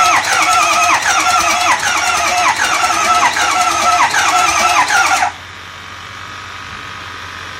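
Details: 2005 Ford F-250 6.0 diesel won't start: starter cranks steadily for about five seconds with a rhythmic churning near three beats a second, sounding a bit weird, but the engine never catches; crank, no start.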